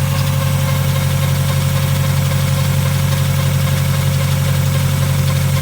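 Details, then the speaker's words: Project car with an exhaust leak and valve cover gasket oil leak, idling: low drone with a faint constant whir that changes with engine rpm; owner suspects the timing belt, not confirmed. "I think it's a timing belt but I'm not sure it definitely changes with the revolutions per minute of the engine so my guess is a timing belt that never goes away"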